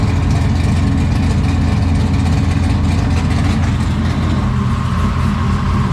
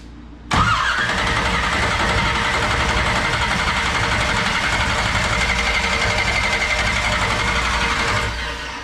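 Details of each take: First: 1969 Camaro restomod 496 big-block V8, previously broken in on a run stand, first start in the car with exhaust cutouts open: deep, loud, lumpy burble idling evenly and strongly; normal idle. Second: 1969 Camaro with 496 big block, first start, carburetor dry and fuel system priming: steady starter whirring about eight seconds without catching; crank no start, no fuel yet.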